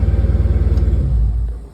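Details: Dodge Charger after P0340 camshaft position sensor A repair: broken connector pins rewired and sensor replaced; formerly slow to start, now fires right up; steady even low pulsing idle settling and fading, firing cleanly with no misses or knocks.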